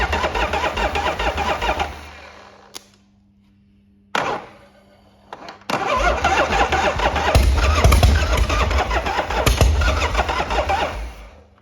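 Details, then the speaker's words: 1979 Harley-Davidson FXS 80ci Shovelhead, jump-started by crossing solenoid terminals, low on oil: starter churns then cranks with ragged pops and brief catches on Easy Start, never running; fires only on starting fluid. "As you can hear, it's um starting to fire on the easy start, but we've not had it running."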